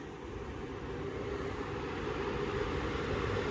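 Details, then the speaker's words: Trane variable-speed indoor blower motor after repair following a storm that left no air; on restart a steady airflow rush and low hum slowly rise as the fan ramps up; healthy start. "The moment of truth has arrived. There she goes. Now she's gonna have to ramp up a little faster than that."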